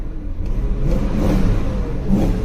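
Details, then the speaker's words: BMW V8 at auction, after idling to circulate oil: revs under throttle with a slightly uneven, stumbling note instead of a clean pull; a misfire. "let's give her some throttle now that she's had some chance to circulate the oil oh she had a little she got a misfire for"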